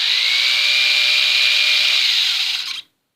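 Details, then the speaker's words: Old abandoned electric shaver after restoration with blades reinstalled, plugged in and switched on; smooth steady high buzz with even tone until switched off; motor runs normally. "Yes, it's working. It's working, guys."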